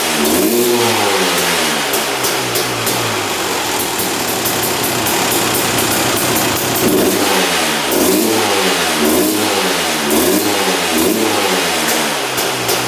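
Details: 2001 Honda CR250 two-stroke, freshly started after not running: crackly revving rising and sagging lazily, slow to pick up, smoking heavily; owner suspects rich running, fuel mixture or excess oil, unconfirmed.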